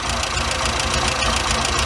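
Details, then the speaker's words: Weber 34/38 DGAS carburetor on a warm engine, with the idle mixture screw turned in from about ten and a half out: the idle becomes uneven and sags, with lumpy, slowing pulses, because the mixture is too lean and starves the engine. "it's gonna turn it in so you can hear what it does get out starting to fall because I'm not giving it enough fuel"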